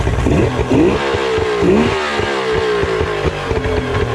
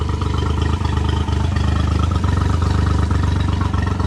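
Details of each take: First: so here's a yamaha 90. there's nothing really wrong with it other than i need to detail it but i will start up just to show you guys how you know great they run Second: Three-cylinder outboard reading about 30 psi below its usual 120 psi compression, run after new plugs, oil and filter. The throb is uneven and stumbling, running on two cylinders. The top plug shows rust and water.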